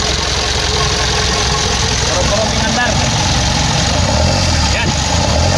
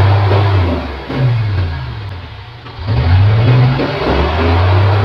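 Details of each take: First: Mitsubishi Canter 4M50 diesel, hard to start, rough uneven idle with lumpy stumbling beat and clatter; injectors no. 1 and 3 faulty, strong return flow at the injector checked after removing both, both injectors to be replaced. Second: Mitsubishi Canter 4M50 diesel truck that would not start, revved after repair: strong, clean rev rises and falls with a solid, even note; panel reading now okay. Normal revving.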